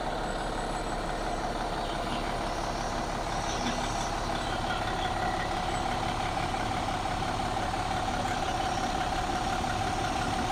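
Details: 2014 MCI J4500 coach with a fresh engine (listed as Cummins, also called Volvo) and Allison B500 transmission, rear engine bay open on a hot day: steady, even diesel idle with a constant drone and no knocks or misses; healthy.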